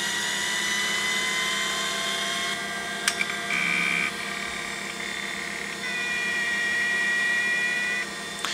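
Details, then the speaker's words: 20-year-old Seagate PA4E1H 5.25" full-height 1.3GB SCSI hard drive (from a Sun external enclosure) powering up: whine climbing as platters spin up, sharp head clicks and seeks, normal spin-up. "I'm going to power this up now and you can hear the noises that this drive makes because it's quite loud compared to modern drives and it takes quite a lot of time to boot up"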